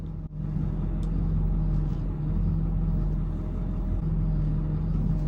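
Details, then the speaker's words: Steady low whine from the front end over the idle while steering, continuing while the wheel is held; it also occurs on braking (hydroboost) and goes away in neutral. Owner suspects power steering fluid or pump, addressed with a partial drain and refill. "So I got this whining sound coming out of the front end, and it's happening when I steer."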